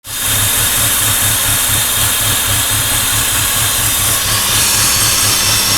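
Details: 2004 BMW E46 petrol engine at idle after driving through water, making a steady low knocking/pinging about twice a second under a loud hiss; cause suspected, not confirmed.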